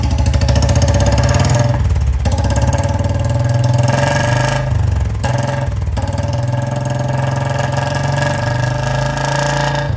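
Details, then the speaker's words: Royal Enfield Bullet Standard 350 BS6 under 6000 km, free-flow bend and short bottle silencer, warm after a morning ride; loud wandering thumping idle with oily black smoke blackening the wall. Owner suspects a seized engine, unconfirmed. "देखना ये देखो इसने दीवार काली करनी शुरू कर भाई ठंडा नहीं पड़ा हुआ था"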